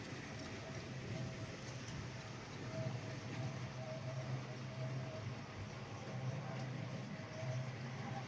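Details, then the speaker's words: GEM kit NER R1 / LNER D21 4-4-0 OO gauge model locomotive running around the track: steady low motor drone with a thin tone coming and going as it laps; quite noisy, cause unclear. "As you can hear, it's quite noisy."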